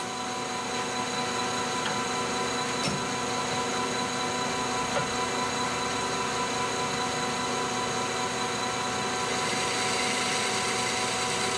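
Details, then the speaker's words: Lathe turning 4140 CrMo steel, longitudinal cut at low spindle speed and very low feed: continuous harsh, rough scratchy hiss; tool tearing and scooping the steel, giving a terrible finish. "you can hear it sounds like it's scooping material it sounds terrible it does not sound like it's going to be a clean cut"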